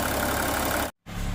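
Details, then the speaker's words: Volkswagen Touareg V6 TDI diesel running after repair of a no-start with code P0087 (fuel rail system pressure), no fault codes left, no smoke; an even, settled idle with a steady low rumble and no knock or stumble; normal idle. "Ayan yung ating ah Volkswagen v6 v6 engine Ayan umaandar na siya"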